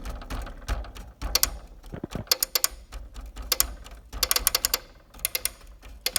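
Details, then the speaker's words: Chamberlain garage door opener clatters in uneven bursts of sharp clicks as a relay picks and unpicks, losing connection so the door stops at various spots. Fixed by resoldering a cold solder joint on the relay board. "Yeah, it's one of those relays picking. And what's happening is it's unpicking and then it loses connection and the garage door doesn't open or it gets stuck."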